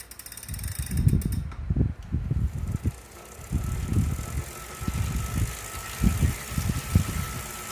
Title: Wahoo still noisy after the cleaning. (after 30mins warmup).